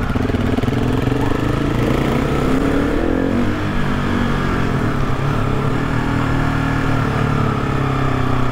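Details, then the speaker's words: GasGas SM700 supermoto single: steady thrum with faint whistle-like scrape on top; rider suspected engine fault, dealer found all fine, noise deemed normal, amplified by fitted metal skid plate under engine. "Абе, май то си звучи по същия начин. Ще излезе, че си въобразявам. Явно този шум си е нормален."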